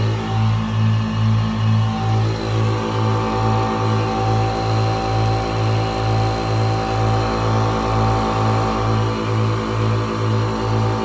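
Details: Reaim air compressor after replacing the 18 µF capacitor with 20 µF, still on 205 V supply: steady motor hum with an even pulse about twice a second that doesn't falter; starts and keeps running normally.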